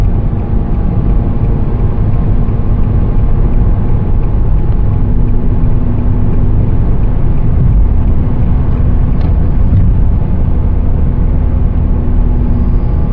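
A steady low hum rides over the road rumble while cruising, holding a constant pitch; the cause isn't clear from the sound alone.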